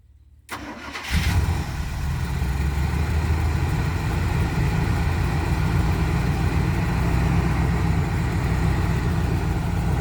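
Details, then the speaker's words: 1985 Winnebago, 454 big-block V8, 32,700 miles, off the road 17 years: brief labored crank, then it catches and settles into a steady, slightly uneven idle; old starter cables suspected of weak supply. "yeah maybe it is in cables old cables going to the starter because you got enough power seem yeah yeah as soon as it got enough power to wing over"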